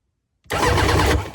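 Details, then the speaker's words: 2003/04 Polaris Barrage fuel-injected jet ski with all fuses found good and the solenoid jumped. About a second of quick churning as the starter spins the engine, then it winds down. The engine turns freely; the display is not coming on. "I'm gonna jump the solenoid just to see what happens. Something."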